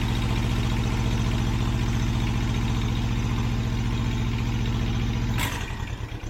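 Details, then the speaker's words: Thermo King APU small diesel on a truck, first start after a new AC compressor, alternator, fuel lines and system recharge: settles into a steady, even idle with a smooth low thrum and no knocks or misses; running properly. "let's fire it up see what happens there she goes fuel pump is there there you go sounds good"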